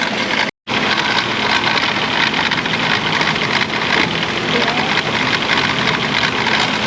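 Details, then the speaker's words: Kia Sedona at rough idle and when revved; harsh, busy rattle that persists with the belt tensioner held, cam phaser completely failed, causing one bank to misfire badly. "I can't stop it from making a noise but I can change the noise we'll bring her up vital and see if it gets a little better or not and it's not happy no matter what we do so the cam phaser got to be all all the way all the way gone"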